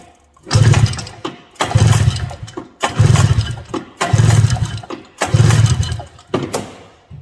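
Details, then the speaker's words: 1982 John Deere Liquifire 440 liquid-cooled two-cylinder barn find: five even pull-start cranks with compression tester on the dry-plug cylinder, strong consistent chuffing reading just over 120, about 130; compression checks out on both cylinders. "Not bad at all. Well, compression checks out for the 2 cylinders, but this one was, you know, like I said, pretty dry."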